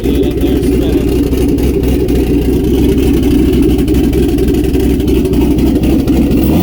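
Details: Turbo LS V8 Miata, first start with turbo, no exhaust or downpipe, old tune, O2 sensor unhooked: loud uneven blat, stumbling beat; rough running, some smoke from engine bay not exhaust.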